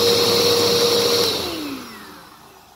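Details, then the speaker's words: Bissell upright vacuum after replacing a weak, burnt belt: steady high brushroll whine at full speed, then smooth falling spin-down after switch-off; new belt fitted properly, working fine. "so we can see the new belt is on properly there is no issues with the belt and how it's working so everything is working on this just fine"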